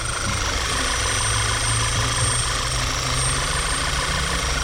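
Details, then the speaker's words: 2010 VW Tiguan 2.0L idling slightly unevenly with a thin, steady high whistle from a PCV system vacuum leak, with consistent misfires above 50 on all cylinders. "so 50 misfires on all cylinders consistent I want to make sure you guys can hear that whistling"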